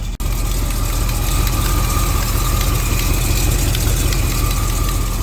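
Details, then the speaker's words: 1936 Chevy Coupe hot rod petrol engine idling: deep steady rumble with a light, quick 'tiny tap dancer' tapping on top; cause unknown; melted wire to water temperature sensor noticed. "a tiny tap dancer"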